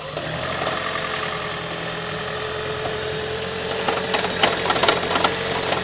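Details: 2012 Toyota Prius 1.8 facelift at 32,000 km, petrol engine running. An irregular light knock sounds about three or four times a second over a buzzy vibration. Cause not identified.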